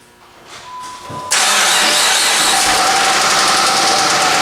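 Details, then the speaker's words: 2005/2008 Dodge Magnum SXT 3.5L V6 AWD, metal found in oil filter: after a short crank it idles loud and harsh with a rapid, steady metallic knock; engine knock, rod knock suspected, not confirmed. "so this thing has a absolutely horrible rod knock going to it or some kind of knock I don't know that's what we're gonna start looking into today"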